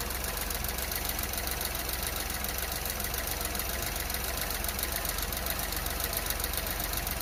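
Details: 2023 Renault Clio Evolution 1.0 TCe X-Tronic, 25,000 km, under warranty, cold start: small engine idling unevenly with lumpy beat, fluctuating idle speed and vibration; cause not yet found; rough cold idle.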